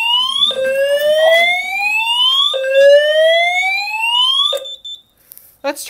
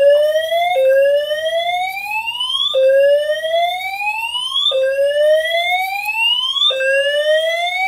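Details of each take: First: Simplex 4010 fire alarm panel, test 30, multi-tone horns after pulling the metal T-bar pull station: repeated rising whoop tones, each sweep climbing about two seconds then snapping back, loud and clear; horns sounding normally. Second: Simplex 4010 fire alarm panel multi-tone horns, reactivated after missing a signal until reset: rising sweep about every two seconds, one cycle cut short restarting early, double-skip catch-up; timing lag, cause unknown.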